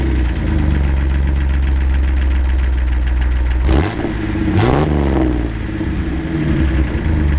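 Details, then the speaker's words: Jeep Wrangler with 4.0L engine, 263,000 km, open-exhaust idle with a fast, regular tick speeding up on a brief rev; suspected lifter or rocker tick, possibly a more serious bearing issue, unconfirmed. "the engine the engine builds up like a ticking or a just a yeah ticking is the best way to explain it over time"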